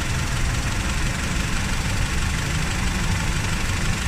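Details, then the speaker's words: Honda Civic idling with no check engine light: rough, uneven low chugging from a one-cylinder misfire that comes and goes when the ignition coil connector is wiggled; a loose coil socket is the cause, and the sockets are to be replaced, not the coils or plugs. "Saglit lang yung problema natin. Ang problema lang nito is yung ignition coil socket."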